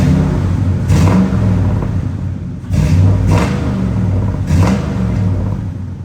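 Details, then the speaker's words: 1985 Chevy C10 Silverado with a swapped 5.3L LS V8, 4L60 automatic and dual exhaust. A deep idle with three quick throttle blips, revs rising and falling cleanly without misses or knocks: normal free revving. "So I'll just rev it up a little bit here so you can hear."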